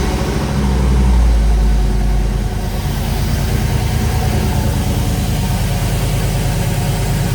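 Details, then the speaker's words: Turbo Dodge Dakota on jack stands, first fire-up after work, with a known blow-off valve vacuum leak: catches quickly with a brief flare, then settles into a steady, even low rumble with no knocks or misses, sounding healthy. "wow sounds really good all right"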